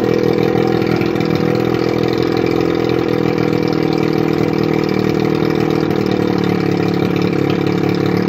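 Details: 1981 Evinrude 35 HP two-stroke outboard, run with gearcase off, 150 psi compression in both cylinders, barely warm: steady, even buzz with firm low beat, no misses or knocks; normal running.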